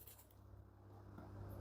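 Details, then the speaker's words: Samsung top-load washer: drain pump starts the moment power is switched on and hums steadily without stopping; control board feeding power directly to pump, main control board found defective and repaired. "rain pump is already uh working continuously this is the problem uh that mean actually through the control board power coming direct to the pump"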